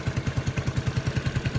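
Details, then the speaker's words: Yamaha Neo 115 scooter idling after greasing the kick-start shaft that was rubbing: even low putter about ten pulses a second, no rubbing or scraping; noise fixed. "acho que era o eixo mesmo que tava encostando ali passei uma graxinha ali parou acabou o problema"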